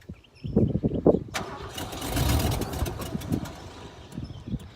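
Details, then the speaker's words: Ford F-150 that had sat for ten years, cranked with starting spray: uneven cranking pulses for about a second, then a short ragged burst of firing that fades out instead of idling. It fires briefly but won't stay running. "yeah holy crap it sounds good oh well it did sound good so it's um the best it has we've had some fire out of it I think we're pretty close"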